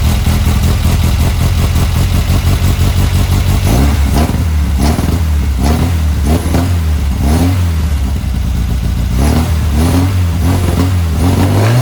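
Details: Car fitted with a Weber 44 IDF carburettor, original parts refitted: even idle, then clean repeated blips that rise and fall crisply without stumbling or popping; healthy.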